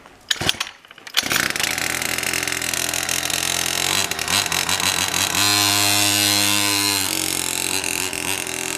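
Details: Pocket cross minibike after its clogged carburetor was replaced with a new one: sharp buzzing two-stroke crackles into life after a few failed pulls, then holds a steady high rev with some blipping. Running normally.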